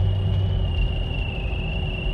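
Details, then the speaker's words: 2000 Mercedes-Benz ML320 while driving: a thin, steady high-pitched buzz over low road rumble, heard on mornings days apart and stopping at about the same point in the drive. Intermittent buzzing noise, cause unknown. "this is a second morning in a row probably about 4 or 5 days in between here that's weird like buzzing noise I hear that"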